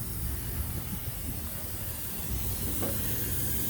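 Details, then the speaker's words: Thermo King SB230 trailer refrigeration unit air system: steady even hiss over faint low hum, air leaking not from the chamber but from one of two air hoses, likely the bottom one. "can you guys hear can you guys hear the leak where i found the leak so it's actually not the chamber it's actually this holes here see it's one of those two hoses here i believe is the bottom one"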